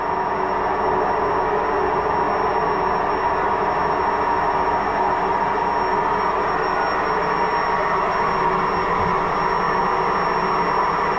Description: So hört sich eine Waschmaschine mit Lagerschaden an.